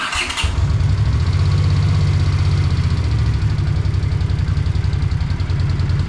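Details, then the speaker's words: 1982 Honda GL500 Silver Wing after a valve adjustment has removed the rattle: it catches after a short crank, then settles into a lumpy, uneven idle with irregular beats. The owner suspects remaining carburetor issues and plans to run cleaner through it. "Think I still have some carburetor issues though cuz that's not real happy."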